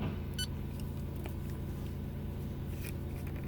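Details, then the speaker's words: 2006 Nissan Murano warm engine with P0507, P1800 and P0420 codes, before idle relearn: steady but too fast idle at 1088 rpm, one short electronic beep; high idle. "Alright, so our engine RPM right now on a warm engine is, it's definitely high, 1088."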